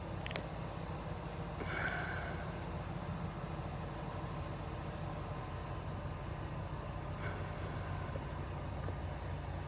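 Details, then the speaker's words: 2005 Dodge Ram 1500 5.7 L V8 after wiring repair and spark plug replacement, previously running rough: steady, even idle rumble with no misses or ticks; sounds healthy. "So, sounds really nice to me. And back to the back of the exhaust. You actually hear it for yourself. Looks perfect. Beautiful. Hasn't sounded like that in a while, I'm sure."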